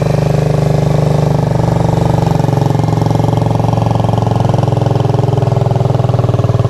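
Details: Rebuilt Suzuki GZ125 cafe racer/flat tracker with stainless exhaust, after nut-and-bolt rebuild: quick, even single-cylinder thumping at a steady idle, no misses or knocks; running sweet, normal idle.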